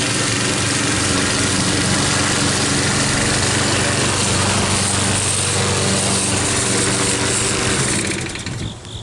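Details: Troy-Bilt mower with a "Frankenstein" engine built from another engine's parts, after a new head gasket: a steady, even drone while cutting, no rise and fall in speed, easing off at the end; running smoothly.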